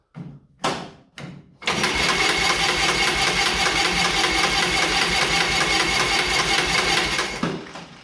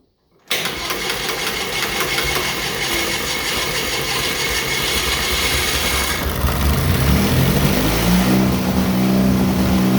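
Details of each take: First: John Deere Model R pony motor, first start after reinstall: short cranking bursts then six seconds of steady fast cranking, about 150 beats/minute, never fires. Owner suspects fuel on-off valve position, unconfirmed. Cranks, no start. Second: John Deere Model R tractor's pony starting engine, first start after the heads were torqued and new spark plugs fitted, with intake and cooling not yet reconnected. After some pops it catches cleanly into a busy, even chatter that builds with speed, no knocks; normal running.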